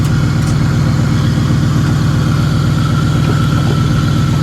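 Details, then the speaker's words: Low-mileage salvage-auction car whose brakes quit from an unrepaired leak, hood tied down, at idle: a steady, even low rumble with no knocks or misses. Runs absolutely great. "man it runs great it does it runs absolutely great"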